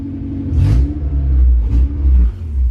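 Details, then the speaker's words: K24A2-swapped Honda CR-V after TPS calibration and connecting power wire: low steady idle rumble settling evenly after catching, no misfire or hunting; idles much better, no check-engine codes. "there we go it idles it sounds so much better we got tps action now dude it sounds so good chill my guy"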